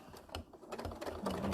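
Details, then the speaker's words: Sewing machine doing quilt-as-you-go stitching with 12-weight thread: light uneven mechanism ticking, then one sharp loud clunk near the end; owner suspects a broken needle or too much thread tension, not confirmed. "think I just broke something my needle is great Oh something well no it's too much tension on it"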